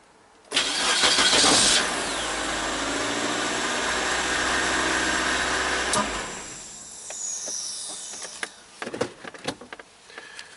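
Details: 2003 Mazda Protege in neutral, during no-crank diagnosis: brief starter whir, then engine catches and settles into a steady idle. Normal crank and start.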